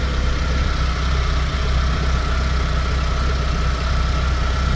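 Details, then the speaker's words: Renault Clio 182 petrol engine idling before timing belt and dephaser replacement: low drone rising and falling up and down; idle hunting attributed to worn timing belts and faulty dephaser, since replaced. "as you can see you there just from a little snippet it is kind of going up and down and up down this it sounds like a song"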